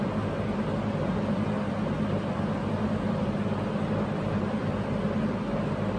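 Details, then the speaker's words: Early-1970s Electrohome 652-1 20-inch box fan, motor windings looked overheated but passed insulation and amperage tests: smooth, even whoosh and low hum on high speed, no wobble or rattle; runs great. "so here it is high-speed beautiful [Music] runs great"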